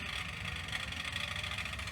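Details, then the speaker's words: Sanyo VHR-H519 VCR (probably late 1990s to early 2000s) during playback: a steady high ringing tone rides over the transport whir, and the owner thinks the ring comes from the worn tape itself, not the deck. "I think this is just the tape side yeah the Ring's coming from this tape"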